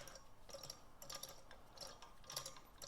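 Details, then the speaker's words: Oil pump for rebuilt 1965 Nova Wagon 283 engine, primed before installation and hand-turned: gears tick unevenly with soft wet drag, getting harder to turn as oil creates suction and pressure; primed pump turning normally. "now you can hear that the gears are coated with oil and they're creating suction and vacuum and pressure as they're as they're turning so"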